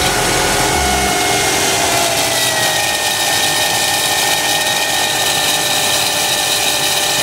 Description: Bad alternator bearings on the old alternator as well as some bass.